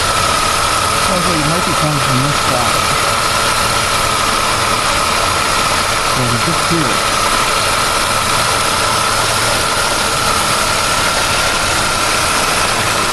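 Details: 1999 Pontiac Firebird at idle: constant high-pitched whine over a loud, even running note; something sounds a little loose, source not pinned down.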